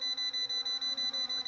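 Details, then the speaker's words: YLRC S138 brushless optical-flow drone hovering near a wall. Its propeller whine is overlaid by rapid high beeping, about six a second: the obstacle-avoidance proximity warning, which blocks further forward flight despite full forward pitch. "you hear that beep beeping it wouldn't let me go any further"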